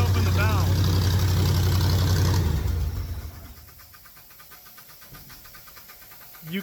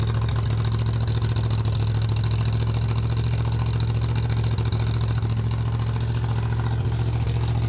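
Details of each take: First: V8 air compressor, choked, accelerator pump gone: loud running then shutdown, followed by quiet fast bubbling about four per second, air purging back through the engine; gurgling after shutdown, owner suspects a problem, cause unconfirmed. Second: 302 V8 engine driving an air compressor, cold with choke on, building tank pressure; deep even drone holding speed without misses or surging, normal running under load.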